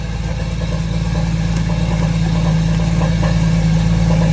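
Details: Crashed Porsche Boxster S started after the high-pressure power steering line was replaced; oil level fine, no leaks. Smooth, steady low rumble at idle, no knocks, ticks or whine: normal idle.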